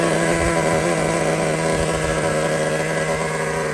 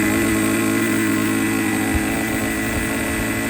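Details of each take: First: Used Traxxas T-Maxx nitro engine after low-speed needle was backed out about a turn: steady, slightly high idle, then crisp throttle blips that pick up cleanly; runs normally, idle set a bit high. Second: Used Traxxas T-Maxx 2.5 nitro engine, fuel tank confirmed sealed, carburetor closed as far as it goes with idle at minimum: holds a fast, buzzy, slightly uneven idle that won't settle; idles too high, owner suspects an air leak.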